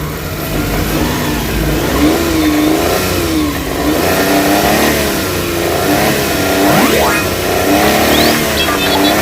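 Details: Suzuki Big Eye F6A fuel-injected three-cylinder, after fixing low power, throttle delay and engine vibration: revs up and down cleanly, quick throttle response, no hesitation or stumble; normal revving.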